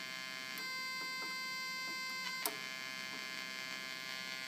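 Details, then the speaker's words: 1976 Octave CAT analog synthesizer on bypass with the volume turned high: VCO1 gives only a faint, thin buzz over quiet hiss with clicks, nearly dead. Traced to a failed transistor array chip; the switches and sliders are also dirty. "i have the synthesizer on bypass so i don't have to press a key down and i'm just looking into why vco1 is not working"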